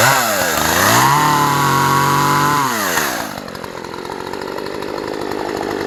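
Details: Poulan P3314 14-inch chainsaw, unused for years, previously no-start (likely primer bulb not pushed enough): revs up cleanly, holds high steady scream, pulls down slightly under load cutting small sticks; running strong.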